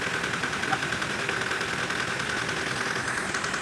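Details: Toyota Hilux diesel after general overhaul for blow-by, idling: even clatter with steady tone, no bubbles in coolant reservoir, no uneven misses; engine running smoothly and sounds healthy.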